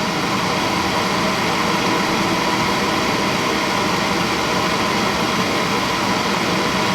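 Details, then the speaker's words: Suntec A2VA-7116/A2VA-3006 single-stage residential oil burner fuel pump being bled through a hose into oil, filter not changed so oil runs dark: steady even hum and whir at one pitch, no surging or gurgling; no cavitation or air bubbles, normal running. "I see no cavitation, I see no air bubbles."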